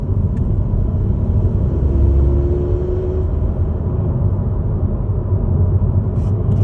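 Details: Ford Focus Mk4.5 mild hybrid (MHEV) under acceleration: low steady rumble with a faint rising whirring note partway through; strange drivetrain noise, source unknown.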